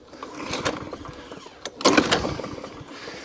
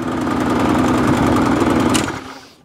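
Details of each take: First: Discarded lawn mower, thought to be a 2017 model, primed and started with a few pulls; it catches and picks up to a steady, even drone of constant pitch. Runs healthy despite a possibly broken height adjustment. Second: Qualcast mower with a Briggs and Stratton Classic engine, primed, popping unevenly for two seconds then dying away; lumpy, hunting run, and the owner says it needs a carburetor clean.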